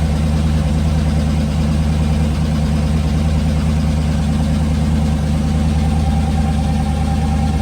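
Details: Twin-turbo LS V8 S10, freshly rebuilt, on its first startup: a deep, steady burble at an even rhythm with no ticks, knocks or squeals. Oil pressure was good and nothing leaked; the engine is healthy after the rebuild.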